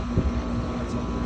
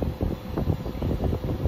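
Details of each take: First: Trane XL16i central AC after a burnt capacitor terminal and wire were replaced: the compressor now starts on the first attempt; steady low hum with an even drone and some wind noise. Compressor and condenser fan running normally. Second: Central AC outdoor unit on R410A blowing room-temperature air. The compressor hums briefly, low and uneven, without starting because of a burnt terminal and wire on the capacitor; it was fixed by crimping a new connector and replacing the capacitor.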